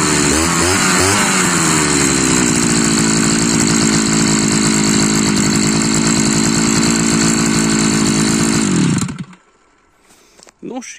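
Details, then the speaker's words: Modified Chinese lawnmower fitted with a 43 cc cylinder, keeping the old exhaust from the larger-displacement cylinder: revs settle from a slight rise into a steady, even high buzz for about nine seconds, then cut off cleanly; running well. "így szól ez a 43 köbcentis henger. A kipufogó maradt a régi, a nagyobb köbcentisé. Egyelőre jól szól, meglátjuk milyen ereje lesz."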